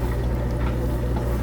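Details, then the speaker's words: Miele washer with a replacement drain pump (the old one had an impeller poorly connected to the motor shaft), draining after stop is pressed: steady low pump hum with water rushing and gurgling away quickly and no grinding. Normal drain. "press stop and you can hear the drains active and it's getting rid of the water really fast"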